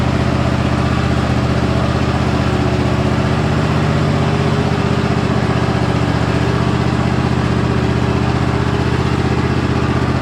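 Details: Cub Cadet riding lawnmower after full tune-up with oil change, new fuel filter and new sharp blades, started with choke: smooth, constant single-cylinder drone at steady speed with no surging or misfires; engine runs healthy.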